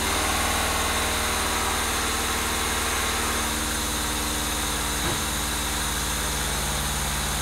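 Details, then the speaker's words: Honda Civic EK with swapped D16A engine, after new oil pan and pickup install: steady low idle throb that sags and winds down as it stalls on its own; idle speed screw was fully closed and was adjusted. "Okay, just shut off for no reason. All right, so I adjusted the idle speed."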